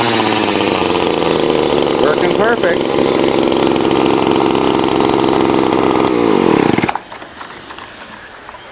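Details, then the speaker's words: Fourth garbage-picked string trimmer after replacing broken fuel lines and cleaning a dirty carburetor: high, raspy two-stroke buzz holds steady several seconds, then cuts out, no misfire or stumble; normal running. "I fixed the fourth one now it was just broken fuel lines and dirty carburetor let's see if she fires up"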